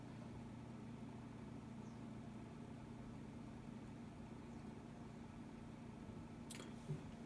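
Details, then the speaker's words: Synology DS415+ NAS at first power-on with four Seagate 3 TB NAS drives, not under load. Soft steady hum, faint fan whir and barely audible drive clicking; very quiet. Normal running. "silent you can hear a bit of clicking I mean if you hear that at all I'm surprised but even I can barely hear that"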